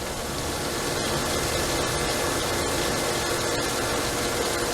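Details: Pool pump after replacing a 240V Intermatic T104M pool timer and switching the breaker back on: steady, even rushing hum without knocks, surges or dropouts; pump runs smoothly.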